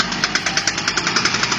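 A rapid, even metallic knocking, about ten a second, points to a worn driveshaft universal joint.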